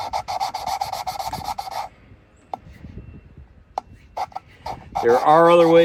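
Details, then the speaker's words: Kia 3.8L overhead-cam head reassembly, valve twisted back and forth by hand on its seat with lapping compound: rhythmic dry, coarse rasping strokes, about five a second; valve lapping sound. "so now you hear that it's a real coarse sound and we're gonna do is we're gonna go back and forth kind of like starting a fire the old-fashioned way"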